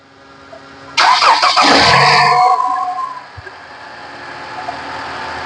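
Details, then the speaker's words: 2015 Toyota Corolla, customer complaint of excessive engine noise, engine oil found completely empty and engine burning oil: brief crank, then loud flare with harsh clattery rattle before settling; oil-starved, badly worn engine, before oil and filter change. "अच्छा तो ये देखिए engine में कितना आवाज आ रहा है। Engine में ऑल बिलकुल भी नहीं है।"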